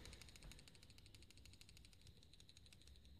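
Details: Samsung Galaxy S5 camera lens: a quick, uneven stream of faint, sharp ticks, audible only outside camera mode. A Samsung rep blamed a faulty image stabilizer; this is not confirmed, and the phone is being sent for repair.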